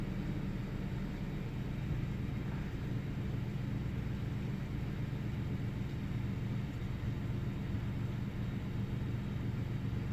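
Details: 1998 Ford Taurus SE V6 OHV petrol engine, intermittent rough idle, restarted after about 10 seconds off with no significant change: deep, uneven rumble whose pulses don't settle into a steady beat.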